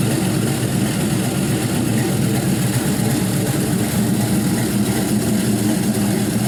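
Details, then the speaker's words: LY6 6.0L Gen 4 LS shortblock with 5.3L 706 heads, 220/224 cam, stiffer valve springs and brand-new lifters, idling on a run stand: smooth V8 idle with a faint valvetrain tick from the cam. Still very quiet; normal idle. "there's going to be a little bit of valvetrain noise especially when you have a cam like this but even so it's incredibly quiet"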